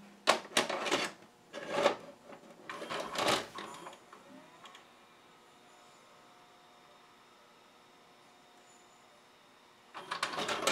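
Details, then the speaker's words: Sony SLV-740HF VHS VCR: clatter as the tape loads, only a faint cylinder-motor hum, then clatter as it ejects; most likely caused by a gummed friction clutch, fixed by cleaning and relubing it. "sure enough the tape goes in and comes right back out I hear the cylinder motor run but nothing else so what could be going on"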